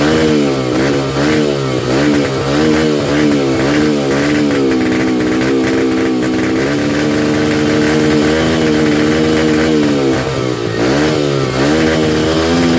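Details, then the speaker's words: 2005 Yamaha 125cc dirt bike started off a 12-volt marine battery, buzzing at fast idle with speed surging up and down every second or so; unstable idle, carburetor needed adjustment, fuel screw set 2 turns out from seated. "I got it running. So basically, this is what I found out. The carburetor needed some tuning."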